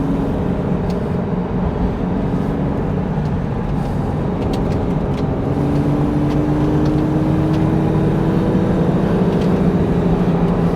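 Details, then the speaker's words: 2002 V6 Mustang automatic driven at a decent pace on a back road: coarse, raspy engine drone from an exhaust leak. "I'm sure you guys can hear the exhaust leak. I've got to get that worked on."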